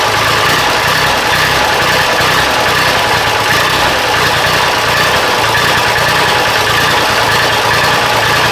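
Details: Diesel engine with a miss and hesitation, after injection pump timing adjustment, started on a cool 46°F morning, not yet warmed up: steady idle with uneven low chug and rough beat; a little better but still not right.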